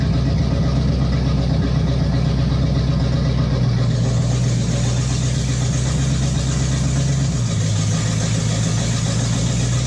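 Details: 1958 Chevy Biscayne after swapping the tired inline six for a V8: deep steady burble with an even lope, pitch dropping slightly as it goes into gear; runs smooth and healthy.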